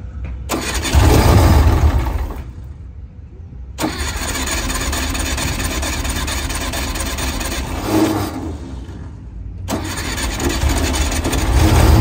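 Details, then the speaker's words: VW Kombi after carburetor jet change (120 and 135 jets), fuel had drained from the carburetor: long cranking that cuts out twice before the engine catches and runs; slow start, air adjustment to follow. "[Aplausos] demorou um pouquinho meu povo teve que ir gasolina H que eu tirei o ch al vazou a gasolina agora nós vamos regular o ar"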